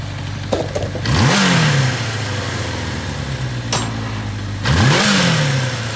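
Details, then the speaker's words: 1983 Kawasaki KZ750 Spectre, 22,000 miles, carbs just rebuilt and being tuned, idle around 1500 rpm: quick throttle blip, revs rise sharply then sag back slowly instead of dropping straight to idle; revs hanging. "See how it's hanging a little bit?"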